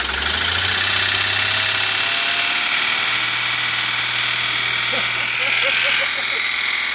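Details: BMW N52 69k-mile junkyard engine, first start after swap, revs held between 2,000 and 3,000 rpm to bleed the lifters: fast light ticking in the top-end clatter; lifters still ticking.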